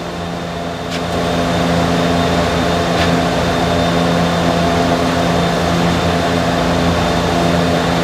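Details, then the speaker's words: 2015–2017 Subaru Legacy rear electric parking brake, microphone beside the caliper, scan tool brake maintenance mode before pad replacement: steady even motor hum for several seconds, no straining. Normal electric parking brake retraction. "Now that's the sound you're looking for, okay? That's the sound you're looking for."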